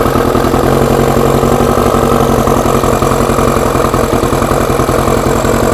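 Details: Four-cylinder carbureted bike after fuel pump primed, no air restriction fitted: even, fast pulsing idle with steady buzzy tone, no stumbles or pops; works, doesn't smell as bad; carbs not yet balanced; normal idle.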